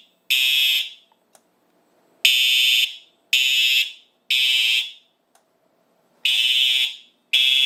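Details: Simplex 4100U fire alarm system in horns-only mode (speaker circuit disabled), triggered from a 2099-9103 break-glass pull station: loud shrill horn blasts about a second long in a steady on-off pattern; horns sounding normally.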